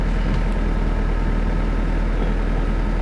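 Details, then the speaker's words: Mitsubishi 4G92 cold idle on a rainy morning, temperature gauge at minimum, after work on coils, plug wires, spark plugs and air-flow for no acceleration, no idle and rpm swing: steady, even beat with no hunting, expected to settle near 1000 rpm warm. "ดูรอบมันนิ่งนะคะเดี๋ยวร้อนเดี๋ยวเขาก็ตกลงมาเดี๋ยวประมาณพันนึงนะครับ"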